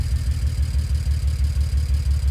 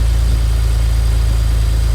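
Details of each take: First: BMW E91 335 wagon N54 engine, coil moved to cylinder 2 to test if misfire follows: low idle pulsing about three beats per second with rhythmic exhaust stumble; one cylinder missing, DME shows cylinders 2 and 1, faulty ignition coil. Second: BMW E91 335i wagon, N54 engine, at idle after the faulty ignition coil was replaced and codes cleared, not yet warm: smooth, even idle with steady firing and no stumble; scan tool shows no misfire.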